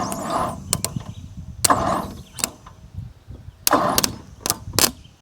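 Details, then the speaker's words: 1959 Ford Thunderbird, points cleaned and coil wired to the battery: short, sluggish bursts of cranking that never catch; slow cranking from a weak battery, and it ran after the battery was charged. "This battery sounds like it's a little weak. Let's charge the battery up."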